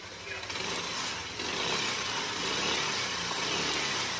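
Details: Yamaha Aerox 155 VVA after valve clearances set to 0.10 and 0.15 and reassembly: steady buzzy running with a bright, even mechanical chatter and no heavy knock; runs smoothly at idle.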